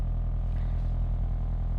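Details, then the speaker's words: Ford Focus SE just after start-up: low, steady droning buzz with a fine rapid flutter underneath that dies down then returns; owner suspects loose trim plastic vibrating, source unclear. "Do you hear that sound? Like I don't like that vibration, but it dies down and then that starts vibrating which I feel like a plastic might be loose."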